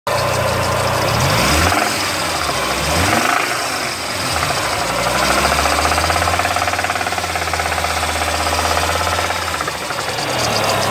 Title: lancia kappa slight engine knock